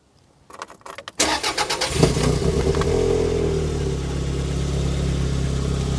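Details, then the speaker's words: 1990 Toyota MR2 Mk2 JDM, stood over 20 years: cranks briefly, catches, then an uneven, stumbling low idle as cylinders drop out; missing at idle, owner suspects rich running, possibly a coolant temperature sensor, unconfirmed. "you can hear it there it's just missing a little bit [Music] and miss miss miss miss so yeah it's not not happy at the moment for some reason"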